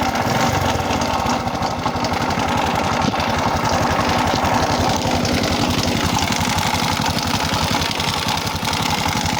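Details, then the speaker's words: Honda Supra X 125 motorcycle engine with a loud, harsh clattering idle and a fast, rough knock of about four beats per second. The cam chain was already replaced and the valves adjusted, but the noise persisted, so neither is the cause. "jadi suaranya itu timbul dari bagian mesinnya ya dan suaranya itu sangat kasar"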